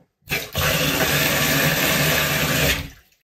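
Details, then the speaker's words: Camper van 12V Shurflo 2095 water pump on small battery, tap fully open: steady whooshing flow, pump humming continuously and evenly; running continuously at full flow is normal. "donc quand je l'ouvre à fond la pompe elle se met en route en continu ça pose aucun problème"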